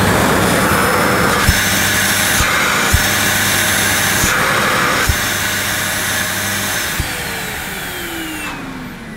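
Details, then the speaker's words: 18-year-old German-made Sebo K1 Komfort cylinder vacuum cleaner with the airflow fully restricted. A steady motor whine shifts pitch as the hose is blocked and freed, with clicks as the suction relief valve opens to stop the motor overheating: normal behaviour. "this cleaner's also got a suction relief valve somewhere i'm not sure exactly where it is but i can hear it kicking in when you restrict the airflow completely you can hear the valve opening and letting air into the motor to prevent it from overheating"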